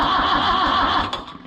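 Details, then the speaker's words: Oliver 1365 tractor under restoration, battery fitted, not yet fueled or primed: steady even starter churn with no knocks or grinding, engine turns over freely but doesn't fire as it still needs diesel and priming. "and we have crankage so we are very very close there's no reason why it should not run"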